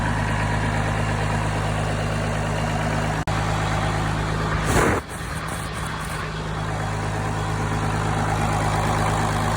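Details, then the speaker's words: Engine with a shutoff cable, running at 50 psi oil pressure: steady, even low rumble with no knocks or misses, running healthy. "you can hear it's running really good pulling the shutoff cable there and now i'm gonna go over and look at oil pressure"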